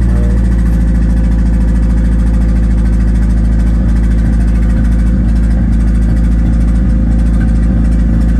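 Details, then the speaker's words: 1991 Nissan Hardbody just started after the 240SX turbo kit hot side was installed, with downpipe, O2/wideband and plug wires refitted. Loud, deep, lumpy idle with a wavering rhythm; runs rough, cause unclear. "I'll start it up for you guys so you guys can. Yeah, it runs like shit."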